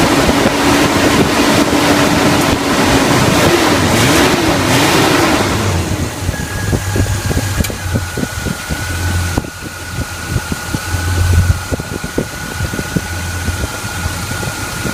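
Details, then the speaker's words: 1981 Chevy K10 rebuilt carbureted engine, about 5,000 miles since the rebuild, after the leaking fuel pump was replaced: a brief rev through wind, then a steady even idle with a soft pulse and no stumble. The fuel pump works and is not leaking. "Fuel pump seems to be working. Fuel pump's not leaking."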